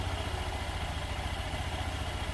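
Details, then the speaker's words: Honda Beat Deluxe scooter, first start after reassembling the engine with a new crankshaft: steady, even low putter at idle with no knocks or rattles; the sound is smooth again. "Lalu tinggal kita cek engine hidupkan ya. Nah, motor sudah hidup guys. Suara sudah kembali halus."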